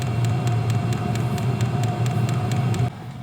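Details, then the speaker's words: Hcalory diesel heater on setting one in a 37° cabin: a steady, jet-like roaring hum with a faint quick ticking on top, even until it cuts off; running normally. "all right there it's running how's that sound sounds like a jet engine I love it"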